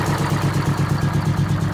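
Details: 1969 International 400 dump truck, Detroit 8V-71 two-stroke V8 diesel, after cracked bell housing chained shut and air starter used, fuel stabilizer and cetane boost added: steady even idle, regular low pulse about eight beats a second, no miss or knock; normal idle.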